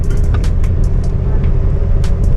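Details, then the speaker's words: Ford XE Falcon petrol engine idling cold, with a steady, even low rumble and no misses, knocks or hunting; runs smoothly at the lights. "it actually like runs really nicely like smooth at the lights"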